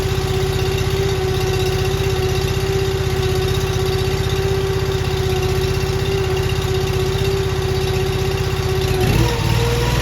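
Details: Honda iGX800 EFI engine on a Wolfe Ridge 35 log splitter after new parts fitted: starts and settles into a smooth, even idle with steady firing beat and no knocks, misses or rattles; runs healthy.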